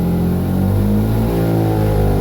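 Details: Mazda RX-8 with D585 coil upgrade kit, new coils, plugs and leads, front and rear coils swapped: rough buzzy drone through the exhaust held at 4,000 rpm, dies at idle; P0301 cylinder one misfire, cause unclear.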